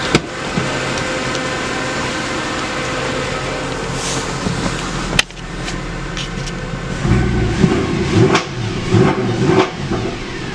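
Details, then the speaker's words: Mercedes W204 C63 V8 after a spark plug and air filter change: a deep burble rises cleanly on throttle blips and settles back without stumbling, running well. "yeah so that's the car done it is right running quite well so you can hear"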